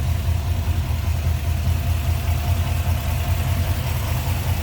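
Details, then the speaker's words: 1963 Chevrolet Nova hardtop, 350 V8 with Edelbrock Performer RPM intake, Holley carb, HDI ignition and headers, engine bay view: steady, even low rumble with regular firing pulses, no misses, knocks or ticks; healthy smooth idle. "Smooth running, sounds good."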